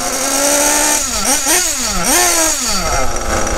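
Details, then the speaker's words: Kyosho RB One TT8 buggy with RB nitro engine, warmed up: rich mixture, it buzzes up and down but climbs slowly and sags on each blip, struggling to rev even after clearing with throttle blips, and smokes; fix is adjusting richness first. "Donc là, on voit que le moteur est très gras. Il a du mal à prendre ses tours quand j'accélère. Voilà. Et ça fume."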